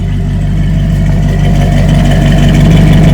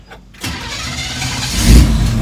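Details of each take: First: Barn find 1967 Chevrolet KC10 pickup, carbureted V8, long sitting, new battery: deep steady low rumble, even beat near three per second; smooth, regular idle that purrs. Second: Barn-find 1967 Chevrolet KC10 truck, carbureted engine that had sat a long time and just got a new battery: brief crank, lazy catch and stumble, then speed builds unevenly. The carburetor is flooded and clearing out.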